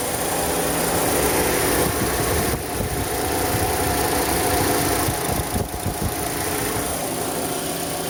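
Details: 2011 Chevrolet Cruze 1.8 at 207,000 km idling: rough, gritty, uneven grinding beneath a steady idle, sometimes louder, usually when cold; water pump, serpentine belt and tensioner already replaced, source unknown.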